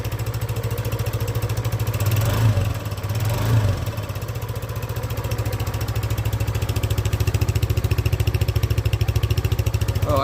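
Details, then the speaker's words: 2015 Peugeot Tweet RS 125cc scooter, first start after replacing an exhaust that had holes in it: even, steady single-cylinder idle, low and muted with no blowing or rasp; a normal idle. "Let's see what it sounds like if it's quieter. Ignition on. Oh, lovely. Perfect."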